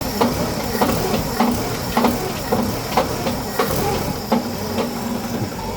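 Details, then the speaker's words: 1963 Pontiac at steady idle: sharp regular knock roughly every 0.6 seconds from a cracked flex plate clattering at the back of the engine; cracked flex plate knock. "That sounds so bad."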